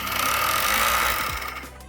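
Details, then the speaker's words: Lenovo M73 mini desktop PC sounding like a lawnmower: harsh buzzing rattle over a steady high fan whine, dying after about 1.5 seconds; grinding from the fan, something suspected stuck in it, not visible on top. "Okay, so it's obvious that these noises are definitely coming from that fan, but I can't see anything on top."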